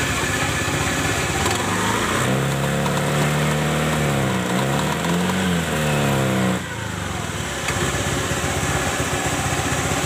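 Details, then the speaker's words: Honda Beat-type scooter, kick-started: under throttle the CVT still gives a rough gritty grind rising with revs, milder than before; rear CVT shaft worn (previously ground), noise reduced after grinding the shaft, more grinding planned. "agak kencang dia Bunyi terus kretek kretek kretek bisa itu motor Beat spesi sama ya scopy juga sama"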